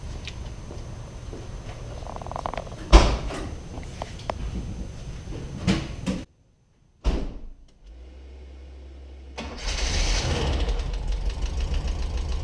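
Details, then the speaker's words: 1979 VW Westfalia bus after replacing a 10-year-old battery with a new AGM battery: after a short pause the engine fires right up and settles into a steady, even idle with no misses; normal start. "So you can see our speculations were right. The car fired right up, no problem."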